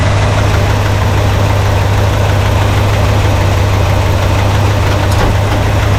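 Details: 1968 Pontiac LeMans, warmed up, idling, gives a steady, even low rumble with no ticks, knocks or hunting, a healthy idle.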